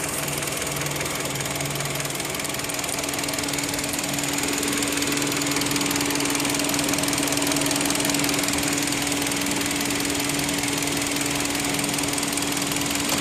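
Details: 2010 Kia Rondo at idle: steady light ticking, roughly three per second, over a smooth idle; top-end engine ticking, cause not pinned down, owner warns the engine will soon fail if heard.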